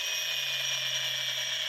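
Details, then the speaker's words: Mahindra Treo Plus 8 kW EV motor running on the bench, too loud to drive; steady harsh high-pitched whine with grinding, ratcheting edge; opened up showing bad upper bearing and gear turning with a sticking, catching motion. "यह ऊपर का है bearing. इसका भी खराब है। देख सकते हैं। थोड़ा अटक अटक के चल रहा है।"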